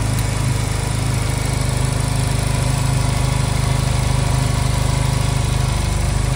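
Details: Honda Silver Wing twin that would not start, fitted with new spark plugs, before air/idle sync adjustment: settles into smooth, even low putter about two and a half beats a second, no misses; normal idle.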